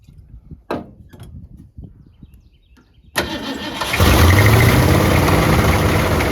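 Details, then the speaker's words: Abandoned 1967 Mustang 289 V8, with a rebuilt carburetor and fed from a fuel jug, first start in a long time: it cranks, catches and idles with a lumpy beat and a faint fast tick, from the exhaust leaks it has. "well it's got exhaust leaks it don't matter but it's it's running"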